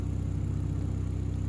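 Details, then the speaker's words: 1.8T stroker build at steady idle after fixing an underside vacuum-leak hiss; the cause was injectors seated at an angle, fixed with an aftermarket fuel rail, no spacers, 48mm injectors, large port head. Smooth even pulse, no hiss; brake clean in the injector cups brings no idle change. "I double checked this by spraying brake clean into the injector cups didn't hear any change in idle"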